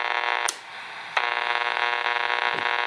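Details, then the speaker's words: Household light dimmer switch, classic RFI source, near a radio: harsh steady buzz cutting in and out with switch clicks; noise character changes with dimmer setting and on/off. "so one of the more classic sources of RFI in the house is a dimmer switch you can see when I turn this [Applause]"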